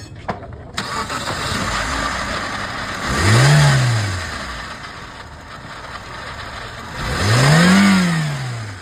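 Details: Suzuki Swift idling unevenly with a faint stumble, then two quick throttle blips; engine seems to run on one cylinder fewer, a single-cylinder misfire.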